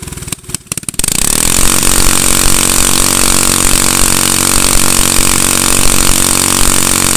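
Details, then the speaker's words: Manco go-kart with Honda engine cranks a few times, catches without starting fluid or choke and settles to a steady even idle; smokes slightly, possibly leftover oil or dirty fuel; kill switch not working; normal running. "all right sounds like it's working out pretty good"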